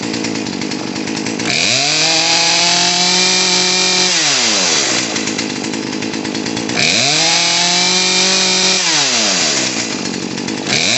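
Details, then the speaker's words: Poulan P3314 chainsaw after carburetor and fuel line repair, choke off: small two-stroke idles steadily, revs cleanly twice and returns to a stable idle; idle screw turned up. "more that sounds about right idle's a little low"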